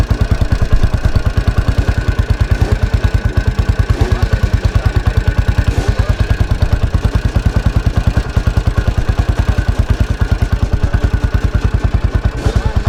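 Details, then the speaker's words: 1983 Husqvarna 510TC four-stroke single, rebuilt after fire damage, running after the finished rebuild: steady, deep, even thumping with no knocks or rattles; the engine runs normally. "so as you can hear there it's still quite a nice sweet sounding at 510 engine after its recent rebuild"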